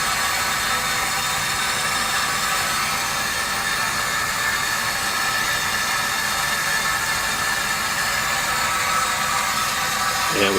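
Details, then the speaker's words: Poly SM15 water meter under flow, about 74 dB on max hold: constant soft hiss of flowing water with a faint high whine, no clicking or knocking; normal running meter noise. "about a 74 on that one"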